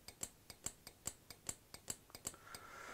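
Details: Returned LonWorks control circuit board from around 1999, after repairing the faulty relay that damaged the PCB: crisp clicks roughly twice a second in a quiet room as each relay pulls in and drops out properly, including the previously defective one.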